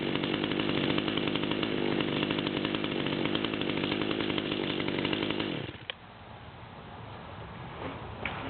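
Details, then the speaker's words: Stihl chainsaw with 25-inch bar: steady, even buzzing idle around 3100 rpm, then cuts off; healthy, settled idle. "we're Aylin around 3100 pretty good sound to it at the moment"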